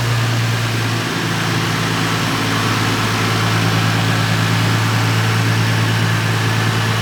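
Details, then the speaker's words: Lexus IS300 with 200k+ miles after an engine refresh (timing belt kit, seals, repaired coil and throttle body connectors, fans reconnected): a smooth, even idle with a steady low hum and no knocks, misses or ticks. Normal idle. "we got it running perfectly you can hear it sounds nice and smooth"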